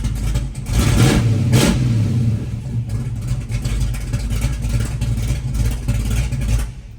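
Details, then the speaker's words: 1963 Dodge 330 with 426 Max Wedge V8, factory distributor and timing curve, fresh battery: fires straight up and revs cleanly with no misfire or knock; starts better with about 20° timing, normal start and rev. "all right then it definitely started better with like 20° I could just kind of tell that's what this thing wants"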